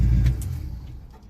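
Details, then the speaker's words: 1967 Chevy C10 with no fuel leaks: a deep, smooth exhaust rumble easing off as revs drop, with no stumble or miss, sounding a little better than before. Normal running. "That already sounds like it's running a little bit better. Yeah, buddy. Okay, I can live with that."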